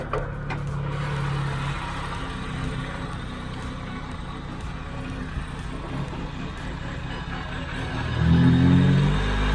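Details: Proton Satria 1.3 with a jerking, near-stalling idle; plug lead No. 1 is pulled. Idle turns lumpy, about four beats a second, and nearly stalls, so that lead and cylinder work (a steady idle would mean a faulty lead).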